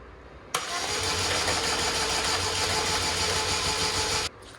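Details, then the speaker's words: 2004 Chevy Malibu Classic petrol engine after ATF flush, with the timing chain tensioner removed again: fast even cranking whir about four seconds, spins too freely, never fires. Crank no start, likely jumped timing. "tensioner removed again uh i don't know what try this is that's not good that's like something's free spinning"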